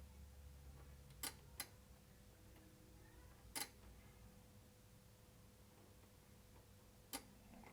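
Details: Sherwood RV-6030R A/V receiver, cables and ribbon cable behind problem area moved while powered: a few sharp isolated relay clicks over a faint steady hum, unit dropping out; likely cracked solder joints.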